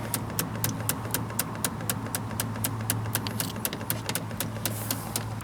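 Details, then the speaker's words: JP Heaters 2 kW Chinese diesel air heater being installed in a bus, controller in P2 fuel-pumping mode: sharp, regular ticking about four times a second over a low hum as the dosing pump primes the fuel line normally. "it goes into the fuel pumping mode so the pump is running and really all i'm trying to do is just to get fuel to come right through the line until it's coming out the end"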